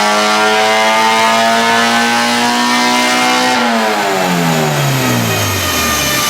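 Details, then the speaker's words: BMW E30 spec race car with a K24 engine swap (K-Power E30 kit): a hard, smooth rev through the VTEC crossover holding a high pitch, then dropping evenly as the throttle closes. Sounds strong and healthy. "the VTE crossover is insane this thing RS out it's oh my God it sounds so good"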